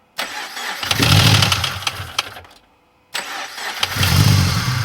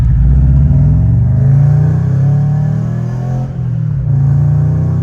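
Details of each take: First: Subaru BRZ, first start after engine rebuild following heavy internal damage, oil and fuel primed: starts cleanly twice into a smooth idle, no ticking or knocking; an earlier noise suspected to be chain settling or a faulty timing chain tensioner. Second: Subaru BRZ after engine rebuild, driving after owner fixed a front exhaust leak: deep, steady rumble swelling and easing with revs, no ticking; cause unclear.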